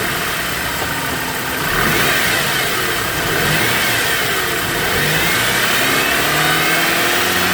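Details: BMW E90 engine idling then revving with a thin whine that climbs and falls with revs, suggesting a belt-driven component; belts and bearings being checked, cause suspected, not confirmed.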